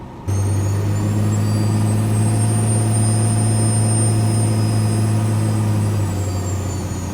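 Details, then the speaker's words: 12-valve Cummins diesel Dodge Ram with compound turbos, after attempt to seal boost leaks: shrill high whiny screech over the deep diesel drone, rising and falling with load, coming from the boost tubes; boost leak whistle. "There's just such a loud, whiny, screeching scream coming from the boost tubes."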